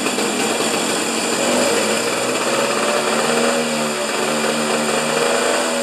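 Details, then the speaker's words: Husqvarna snow thrower during governor repair, covers off, primed: high buzzing note holds one speed without rise or fall; throttle not activated by governor, linkage jammed tight, no throttle control. "because the throttle's not activating on the on the governor you it's Jam tight"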